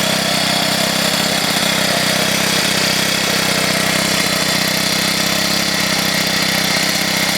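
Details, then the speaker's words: Troy-Bilt XP machine after about two months of use, oil recently changed, previously blowing white smoke: loud running with a hard, uneven rattle about three per second and a thin whine at start-up; cause not pinned down. "after about two months of use it starts to make this like whining rattling noise when i start it up as if it's just it just is ready to kick out on me"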